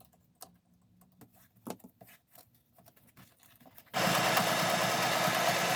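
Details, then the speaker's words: Sewing machine stitching through thick foam and fabric layers for a soft journal cover: quiet ticking, then stitching with a thin squeal riding on its rattle. It squeaks under the heavy load. "you can hear it squeaking because my sewing machine doesn't like it"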